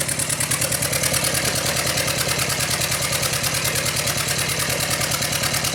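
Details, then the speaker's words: Yamaha F60 outboard: distinct knock heard at the crankshaft near cylinders 3–4. With the cylinder 3 and 4 plugs out, running on two cylinders, a sharp regular metallic knock about twice a second persists over a rough idle, unchanged. Piston knock from a tight wrist pin. "отчётливый стук слышно на коленвале в районе третьего четвёртого цилиндра"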